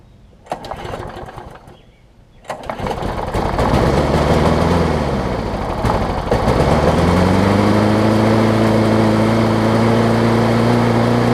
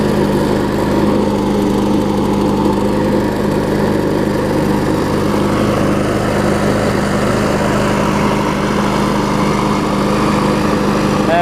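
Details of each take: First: John Deere JS63C mower, first start with fresh gas, before repair: fires after a couple of pulls, surges up and down, then settles into a fast, high-pitched, rough run; it later needed a new flywheel key. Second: John Deere JS63C mower after the new flywheel key was installed: a steady, even single-cylinder drone with constant pitch and no misses or surging. The engine runs smoothly.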